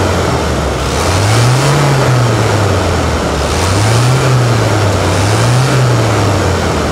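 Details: Toyota Hilux diesel just after service with fresh oil, given repeated blips. The pitch climbs and falls smoothly with each rev, with no knocks or rattles; the engine sounds healthy.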